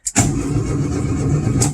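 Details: 1972 VW Super Beetle, sitting five years, after a no-power ignition fault was traced and fixed: starter churns with even low compression pulses under two seconds, engine never catches; cranks but does not start.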